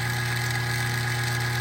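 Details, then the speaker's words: Old kitchen trash compactor, back open, that ran continuously instead of shutting off after overstuffing; motor hums steadily with no load or strain as the drive chain has popped off its sprocket. "So the chain popped off."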